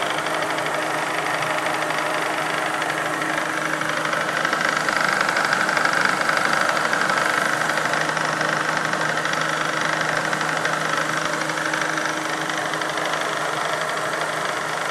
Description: This is a video of an odd sound coming from my X-Charger unit.